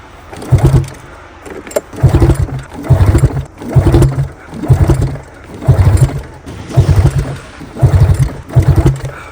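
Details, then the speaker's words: 2005 Arctic Cat Firecat F6 snowmobile, after sitting for years: about nine pull-start bursts, engine turning over but never firing; owner suspects too little fuel or fouled spark plugs. "Okay, maybe it's not enough gas to actually get it going."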